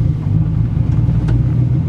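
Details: 1996 Ford Mustang in neutral after replacing the throw-out bearing sleeve: low, even idle with the clutch pedal released, with no knocking or pedal shudder as there was before the repair. Normal idle, clutch release healthy.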